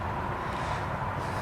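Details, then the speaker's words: Lexus LX 470 at idle after a power steering fluid change to full synthetic: faint steady high whine over the idling engine that persists after the change; owner suspects the power steering pump, possibly the alternator. "so now if you hear that whine that whining noise definitely coming from that power-steering"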